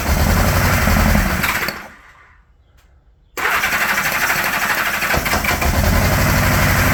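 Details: 1975 Honda GL1000 Gold Wing flat-four, started after water pump reinstallation with new gaskets and O-rings, settles into an even idle, a bit high with the choke on, smooth firing with no knocks or rattles; no leaks and much less smoke: normal.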